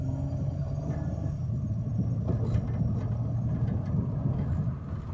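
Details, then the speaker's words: 2006 Pontiac G6 after wheel hub bearing replacement; steady road rumble while driving with the previous humming gone, much quieter; some popping attributed to needed alignment and wind noise from an unwelded metal piece. "whole lot quieter. You don't hear that humming sound that you was hearing before."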